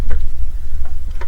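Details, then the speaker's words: Gas Club Car DS golf cart that doesn't always start, maintenance mode, battery at 12.5 V: a few sharp solenoid clicks with no motor whir; solenoid works but starter generator doesn't turn. "can hear the selenoid click. Good way to test to see"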